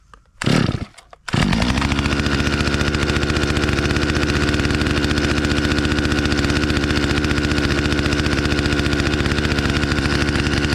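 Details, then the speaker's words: Stihl chainsaw, probably not run in about a year, fires after choke cycling (full, off, full) and half choke, then settles into a steady, even two-stroke idle; owner idles it a couple of minutes to warm up; normal idle. "So I normally let these guys sit here and idle a couple of minutes, not too long. They need to really be spinning to stay cool."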